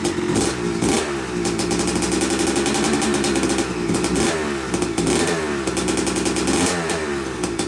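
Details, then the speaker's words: Yamaha YZ250 two-stroke (270cc/250cc) motocross bike, first start after a full engine rebuild (bottom end, transmission, bearings, clutch, power valve), took a few kicks: crisp ringing crackle rising and falling with throttle blips, clean without stumbling; smoke from assembly oils normal; runs normally. "well it runs it runs i'm i'm uh yeah i'm pretty tickled about that i mean it took a few kicks to get her going which is normal"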